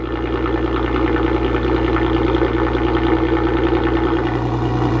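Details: Mk5 VW R32 with newly installed valved aftermarket exhaust: smooth, even idle with a deep steady exhaust drone and faint regular pulse, no knocks or whine; healthy engine, normal idle.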